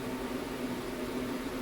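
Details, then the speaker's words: HCALORY 5 kW diesel heater in an ambulance conversion, tested before swapping its controller: smooth, steady blower rush with fuel pump clicking, no rattles, warm air coming out; heater running quietly and normally. "Yeah, and I hear the fuel pump clicking. Oh yeah, see, this heater is nice and quiet."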